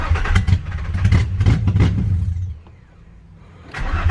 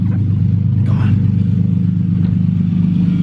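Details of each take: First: Nissan 350Z first start after new engine, fresh battery, intake just reconnected: engine fires and runs unevenly about two seconds, dies, restarts, fades again; starts then stalls. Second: Nissan 350Z, first start after new engine installed, straight-pipe exhaust not yet fitted, loose injector plug and ground fixed: steady, even low idle with no stumbles or misfire; normal idle.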